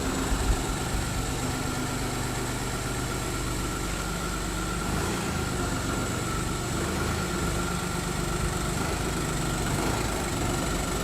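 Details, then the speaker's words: Audi A2 three-cylinder diesel, just restarted after standing a week, with new cam belt and auxiliary belt: steady, rough diesel clatter at idle with a heavy low drone, loud but even; cause not evident. "let's turn this thing off because she's quite noisy"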